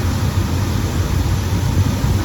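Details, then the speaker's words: 1974 Chevy pickup, short bed 4x4, factory 454 big block V8 with new fuel pump, alternator, wires, plugs and HEI distributor, warm but not hot; deep steady rumble with even beat, no knocks or misses, idle good. "So fired right up. As you can see, it runs good. Idle's good."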